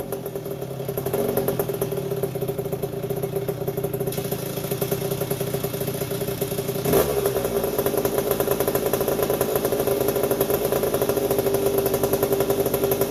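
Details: 1981 Yamaha YZ80H after engine overhaul with new seals and top end, first start-up; constant high squeal over ringing two-stroke idle, caused by dry gearbox cog not getting oil; stopped once bike tipped.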